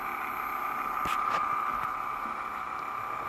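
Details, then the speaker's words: Sim2 Domino D80 projector just after bulb replacement, powered on with top off: loud steady rough whirring from the lower lamp cooling fan, likely heat-cooked, may quiet after running; noisy cooling fan. "figure out what noisy band that is I can see it down the bottom it's that lower lamp fan not entirely uncommon either thing does get cooked probably quiets down after it runs for a bit"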